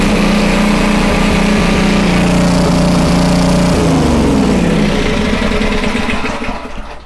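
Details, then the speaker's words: Homelite 2500 W generator, no load: steady even drone, then pitch sags and winds down toward the end; normal no-load running, speed could be a little higher. "Could be a little higher. But at the same time, it's pretty decent."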